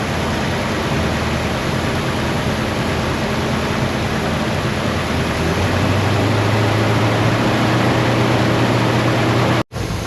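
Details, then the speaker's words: Hemi V8 muscle car engine, 14 degrees base timing and 32 degrees mechanical advance all in by 2,000 rpm, revved with vacuum advance connected, reaching 49 degrees total; roar climbing in pitch then cutting off, normal revving. "Now I've hooked up my vacuum advance with a T so we can watch on this gauge the vacuum advance come in. So I'll rev up the engine and we'll see what the timing is."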